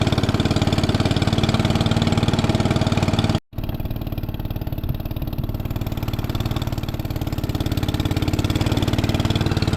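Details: 1961 International Cub Cadet Original, 7 hp Kohler single-cylinder, started on choke while warming up after sitting: even thump at a steady, quick pace with no stumbles or missed beats; normal running.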